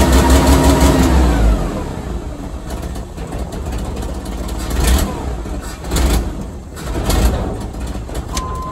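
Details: 1986 Chevy S10 Blazer 2.5L after vacuum, throttle return spring and IAC pintle work: cranks, catches, flares, then settles to a lower, mostly steady idle with slight surging, now idling a bit low while the IAC relearns.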